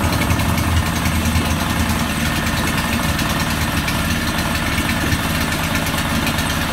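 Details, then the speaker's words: Honda 5 hp four-stroke outboard after a carburettor clean and spark plug check fixed a hard start of about 10 pulls: steady, even idle with a smooth low drone and no misses or knocks. "much better than before before it's like 10 4 i guess that's why it takes quite a while"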